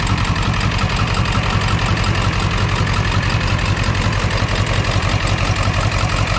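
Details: 2001 Ford F-450 7.3 diesel with a rough, lopsided idle knocking about three per second, running on four cylinders; codes P1316 and P1271/P1274/P1275 injector circuit open. It is unchanged after swapping the computer and IDM, so wiring or injectors are suspected.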